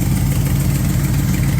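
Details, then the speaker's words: V8 at idle after the distributor was advanced: steady, even beat with no miss. Timing had been set too retarded, making the headers glow red; it now sounds much better and the headers no longer glow. "and then we started it back up sounded a lot better and I'm not glowing uh red anymore"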